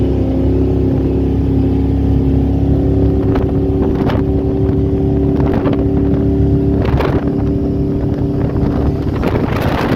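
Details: Baja H2X boat with a Mercruiser 454 Magnum MPI V8 that needs a tune-up: it drones hard under load during launch, broken every second or two by sharp pops and stumbles; misfire while accelerating, cause not confirmed.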